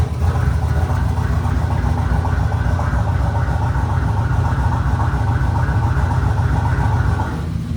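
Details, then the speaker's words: Rebuilt truck V8, a replacement engine with a stage 3 cam, on its first start: a loud, lumpy idle with a heavy rumble and an occasional uneven beat; a misfire is suspected, though the engine itself is mechanically quiet. "I don't know, it seems like it might have a miss, but the engine itself is quiet, so that's a plus."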